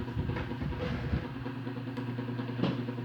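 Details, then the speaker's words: Electric fan at low speed 1, powered through a series lamp: the motor drones low and rough and struggles to start; noise at speeds 1 and 2 traced to a weak run capacitor needing replacement. "Olha a partida dele com dificuldade e o barulho"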